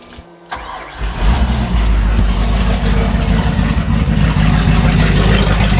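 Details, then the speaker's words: 1995 Fountain 24CS boat, Mercruiser 502 EFI V8 on the hose, cold start to check water flow before an oil change: quick crank, catches in about a second, then a deep, even idle that holds steady without misses or stumbles. A normal cold start and warm-up idle. "So we'll fire it up real quick and make sure that water comes out, and then see if we're good to go."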